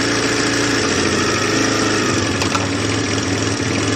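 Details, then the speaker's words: 2005 Elystar 125 scooter engine, 16,000 km, running on its own for sale: even, steady putter with no misses, rattles or hunting; holds idle cleanly, runs perfectly. "Voilà, moteur tournant, hein. Vous voyez, il tient le ralenti et tout, il tourne impeccable."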